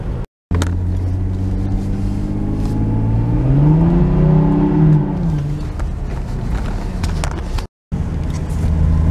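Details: Lexus IS300 flooring it at about 30 to 50 mph: the engine note climbs and flares quickly while road noise stays level, so revs outrun road speed. The clutch is slipping and needs replacement.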